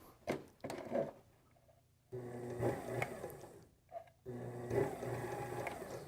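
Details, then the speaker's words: Sewing machine motor on a Sailrite Worker B 100-230V power pack, run from a 2000-watt (4000 peak) modified sine wave inverter. The motor whirs in uneven surging bursts and is not powered properly; a wrong-frequency issue is suspected. "clearly not right okay it is not powering that appropriately"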